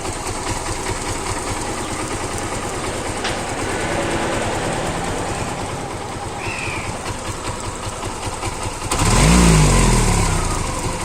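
Steady, even single-cylinder idle with no knocking or rattle, then a short blip of throttle; engine sounds healthy.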